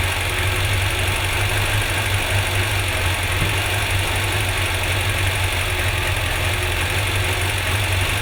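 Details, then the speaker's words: Car engine after the missing spark plug lead is refitted, possibly running rich: steady, even idle with a firm low beat and no stumble or misfire, all cylinders pulling, much better than on three cylinders. "Okay, right now. Might be rich. Oh yeah. Much better."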